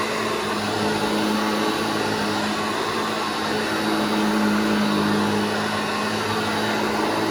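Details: Restored vintage Hoover Junior 1334 vacuum, demonstrated after full restoration and reassembly: steady, even motor roar with constant low hum, no rattle or scrape; running healthy.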